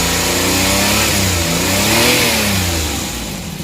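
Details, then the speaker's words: Suzuki DA64/DA63 mini van K6A engine with vibration issue: revs climb and sag unevenly instead of holding; throttle position sensor voltage keeps dropping out, should be steady about 1 volt. "kailangan nito i-adjust siya nawala na naman yung boltahe so dapat yan steady"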